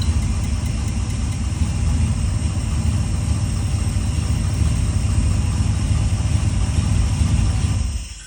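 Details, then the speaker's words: Petrol engine idling with one spark plug wire pulled to test for a misfire without tools: a rough, lumpy, stumbling beat because one cylinder isn't firing. "So you can see the engine's running fine now, but if we pull the plug out, we got a misfire."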